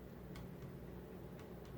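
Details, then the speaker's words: Late-1980s Casablanca Four Seasons 48-inch ceiling fan with Inteli-Touch, speeds 5–6 (high): quiet whoosh with faint irregular knocks about twice a second from the mounting box; owner suspects the mounting bracket or HangTru crossbar, unconfirmed. "It is making a little bit of a noise, a knocking noise. I don't know what that is. Might be the HangTru."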